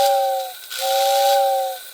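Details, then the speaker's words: Old Lionel whistling tender, whistle working normally after repair: transformer whistle button energizes the magneto to pull the plate up and close contact; two clear airy whistle blasts with a steady two-note chord over fan hiss. "but then when you press it the magneto pulls it up and contact is made and then the whistle turns on"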